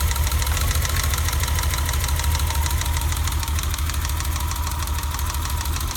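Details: BMW E30 idling with an uneven, lumpy stumble of about three pulses a second, a suspected misfire that persists after replacing the distributor cap and rotor.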